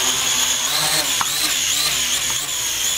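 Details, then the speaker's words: Syma X8 PRO GPS drone after crash repair (a failed motor, a broken-off wing/pylon, new caps), flying after calibration: high propeller whine near 4 and 7 kHz shifting with throttle; all four motors sound even and healthy. "all right calibration is complete [Music] look at that flying"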